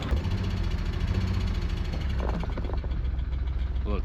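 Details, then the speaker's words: Nissan R34 Skyline, parked 10 years, with lifter tick, intake and AFM now properly connected: an uneven, lumpy idle with occasional stumbles, a bad misfire, cause not confirmed. "bad misfire, but we'll attend to that the next day."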